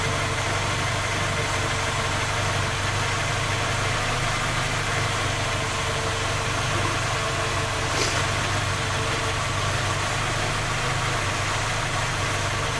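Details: Skoda Octavia A5 facelift 1.6 MPI at cold idle: fast, steady ticking knock over the engine hum; engine repaired three times, fault not found, still knocking, source unknown.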